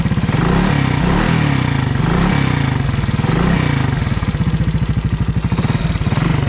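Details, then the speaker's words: 1985 Honda ATC 200S three-wheeler, 165 original miles: fast single-cylinder thump with a light tapping rattle at low rpm with a little throttle, absent at idle and fading as rpm rises; runs well, no smoke, cause unknown. "it doesn't do it when you're like sitting there idling but it's to give it a little bit of gas make that rattl and then it goes away like as the RPMs get higher"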